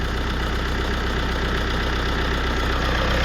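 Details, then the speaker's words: 2016 GMC Canyon 2.8L Duramax diesel, high mileage, after timing belt, water pump and tensioner replacement: even diesel clatter at steady idle, no slapping, squeal or ticking, belt not flopping; normal diesel idle. "no weird noises that's good bel's not flopping"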